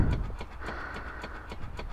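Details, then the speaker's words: Honda four-wheeler converted to dually wheels, engine off after gear indicator stopped showing a gear: dry click repeating about four times a second; something in the electric shift, cause unclear. "back and forth that doesn't sound healthy"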